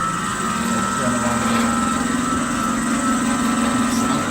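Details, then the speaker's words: Baldor chiller pump motor run in hand with coupling taken apart, drawing 27 amps against a 23 amp rating and tripping overcurrent: steady low drone with coarse warbling buzz, rough and strained; owner suspects seizing motor bearing or voltage drop. "Yeah, that sounds like doo-doo, man. I think that motor, it's either, because we went all the way up to 27 amps. Well past the overcurrent alarm where we have it set up for, and it's only rated for 23 amps."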